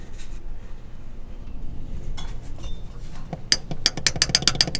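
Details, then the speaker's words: Subaru Forester manual shifter linkage rocked by hand with engine off: quick irregular metallic clacks. The hardened, worn rubber shifter bushing gives linkage play, felt as slop in the shift knob. "and that's the play you got in your shift knob inside the car"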